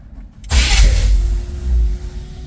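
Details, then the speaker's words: 1981 Chevy dually truck, first start after its engine harness was rewired because of an alternator not charging and bad wiring: the engine catches and settles into an even, steady low rumble with no knocks or misses, running normally again. "ready woohoo it runs again"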